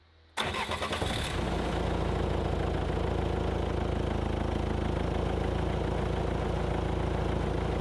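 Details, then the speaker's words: Engine restarted and settling to a fast idle with a steady metallic rattle from a loose exhaust, both exhausts wrecked after being picked up on forklift forks; engine otherwise sounds good, later reaching temperature without coolant problems. "fire it up again have a proper Liston the rattle is the exhaust cuz it got picked up on Forks both of them are just wrecked now but here's what it is"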